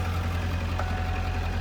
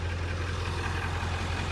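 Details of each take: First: 1997 Ford F250 7.3 Power Stroke turbo diesel idling after its first start in two years: deep rumble with a rapid, even clatter over it; a possible knock, cause unknown. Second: 1997 Ford F250 7.3 Power Stroke turbo diesel idling just after its first start in two years: steady, even, low regular beat with no knock or misfire standing out; sounds healthy, though owner says it isn't charging well and suspects the alternator.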